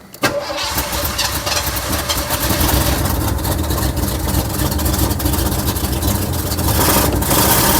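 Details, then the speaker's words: 1979 Cadillac Seville, fuel injected, after replacing the failed in-tank fuel pump: starter cranks briefly, then the engine catches into a loud, uneven run with a ragged exhaust note. An exhaust blow is noted; it starts but runs poorly. "Well, started up now. Seems to have a bit of an exhaust blow, so we'll have to check what's wrong with that. And also it's not running well, but at least it's started up now."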